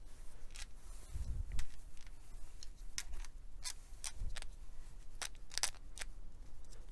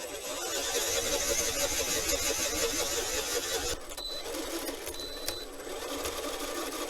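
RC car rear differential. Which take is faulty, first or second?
first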